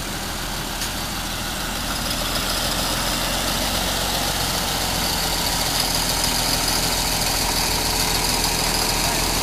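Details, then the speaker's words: 1952 Fordson E83W pickup's 100E engine, freed after sitting seized since 1982 with two stuck pistons and valves, idling after first start in 27 years: steady even beat about three and a half per second under crowd noise; normal idle. "All right, leave it a little while. Lives again. What is it, about 20 years? More than that."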